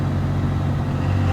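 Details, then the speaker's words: NV4500 transmission (about 40k miles), after replacing essentially all fifth-gear parts to cure popping out of fifth under light load; at 65 mph, 20% throttle, then off the gas: steady low drone, stays firmly in fifth. "let off the gas rather your shift is in fifth and it's not going anywhere so our replacement of essentially everything in fifth gear was a fix"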